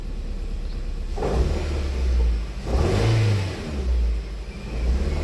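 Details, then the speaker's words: Nissan Cube with suspected bad ignition coil, engine revved in two pulls: faint loose rattle underneath, owner suspects loose catalytic converter material; O2 sensor reading rich and not oscillating, so converter may not be defective. Exhaust rattle, cause unconfirmed. "I don't like that rattle that's behind the scenes. Like that sounds like catalytic converter material."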